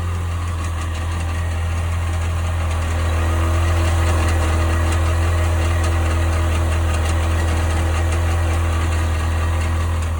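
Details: 1998 Sea-Doo GS 720 at idle: deep steady drone with a faint regular tick about three to four times a second; strange noise, cause unknown.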